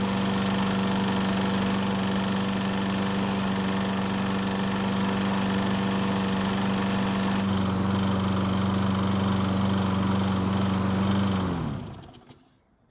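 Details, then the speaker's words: Troy-Bilt overhead-valve mower, about 13 years old, after repairs including valve lash check: steady even engine hum with no chatter or rattle for about eleven seconds, then a clean wind-down; the noise is gone, normal running. "so it looks as though the noise is finally gone which is great news"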